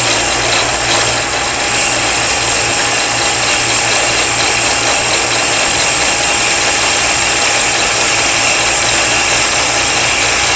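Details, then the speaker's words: Shopsmith lathe with duplicator, final pass turning a taper on a table leg with speed cranked up: loud steady high-speed whir and even cutter hiss, no chatter; cutting smoothly at high speed. "en you're finishing up with this if you want a smooth cut as you Poss possibly can crank the speed up and make the last the last pass very slowly at high speed"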